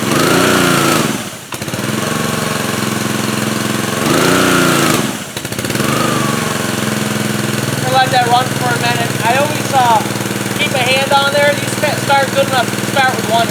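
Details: Pressure washer, nearly new and hardly run, after fixing the motor-runs-but-pump-doesn't fault. Air was bled from the lines with spigot water flowing through and the trigger held on start. The small petrol engine settles into a steady, even drone with brief dips under load; the pump pulls water normally.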